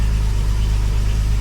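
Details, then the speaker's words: Rescuing Roy, totally cold start after swapping back to Weber carburettor, not run since yesterday: steady, even low idle with smooth beat and no knocks or misses; running cleanly. "That hasn't run since yesterday. This is a so much better engine."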